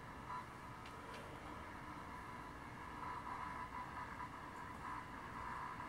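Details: Aging desktop computer's speakers: a warbling, screechy whine near 1 kHz with hiss and crackles, changing when scrolling, from components sharing a common ground; a ground loop isolator fixes it; ground loop whine.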